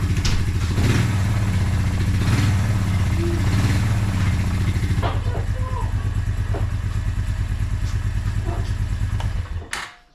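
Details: Suzuki Quadrunner 250 that sat about 7 years, just started cold on choke: steady low single-cylinder thump, a bit lumpy while cold, then shut off; engine sounds healthy and even, smoking slightly.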